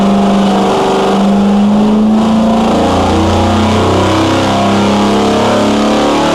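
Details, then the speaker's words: 426 Hemi V8 on a dyno after a bad piston was replaced, timing at 32°, pulled to 6500 rpm: strong, even rising roar under load with no ticking, tapping or knocking; no valvetrain noise, healthy high-rpm operation. "so we brought the timing out to 32° we're going to take it to 6500 RPM and see how it goes"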